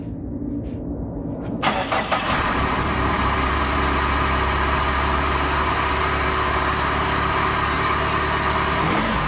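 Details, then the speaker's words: PT Cruiser that came in cranking but not starting, at its first start after the repair with the fuel system primed and the airbox off: catches almost at once and settles into a steady, even idle with a faint high squeal on top. "here's the first startup I do not have the airbox on obviously that's not important right now we just need to see if it start up we did Prime the fuel system so it should just start right on"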